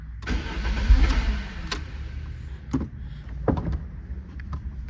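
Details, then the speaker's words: 1993 Lancia Delta HF Integrale cranking: starter churns with weak firing attempts but never runs; no fuel pump sound heard from the rear at key-on, fuel system suspected. Crank no start, likely fuel starvation. "but won't do anything. Now, like I said, I'm already suspicious of the fuel system, and when you key on, you don't hear anything coming from back there."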